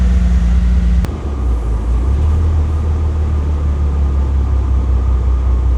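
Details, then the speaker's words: Bentley engine after replacing the cylinder 10 injector: deep, even rumble with steady low drone, no misfire stumble, running much smoother; fault codes to be cleared and reread. "Actually, it runs much smoother. Hold on. Ignition on, engine off. Right, let's delete all the faults, because it actually sounds much better after changing the injector."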